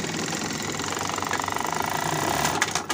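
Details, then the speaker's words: Simaru buttonhole sewing machine running a cycle. Rapid, even stitching clatter with a harsher knock as it runs down to stop; dirt or fibre found stuck on the needle bar. Rough knocking at the stop cycle. "nah ini udah nyala ya udah mau masuk cuman ini bunyi ketik ke mau stop to juga kasar ya"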